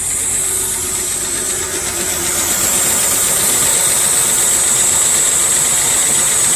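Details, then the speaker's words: 1978 Ford F100 V8, odometer 31,000 (believed about 80,000), started in neutral, lights right off without hesitation: steady idle under heavy hiss, even beat, no misses or knocks; normal idle. "lights right off no hesitation at all there was the radio she sounds good"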